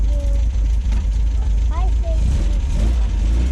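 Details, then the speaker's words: 1974.5 MGB with twin HIF4 carburetors after new floats and needles fixed flooding: low, even burble with no stumbling or hunting, idling better than ever. "I think it's idling better than it ever has."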